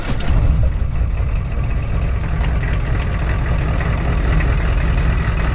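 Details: Ford 7.3 IDI diesel truck about three weeks after a positive battery cable replacement for intermittent slow cranking, parked nearly a week at 1–2°C: short quick crank that catches almost at once into a steady low idle; slow-crank problem fixed.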